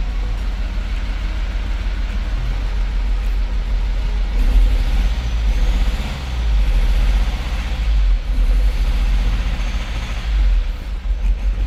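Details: Mercedes Sprinter diesel van after injector replacement and coding: steady low rumble holding an even idle, no sharp knocking or misfire stumble; engine running, restarts; fault codes still present.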